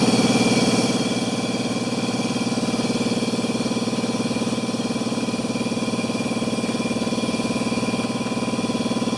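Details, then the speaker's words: Air compressor revived after sitting 8 years with newly fitted pressure switch: steady pump drone with even fast pulsing keeps running past high pressure instead of cutting out; owner suspects switch needs adjustment. "no I'm just gonna have to get it to shut off so I think it's probably an adjustment in here"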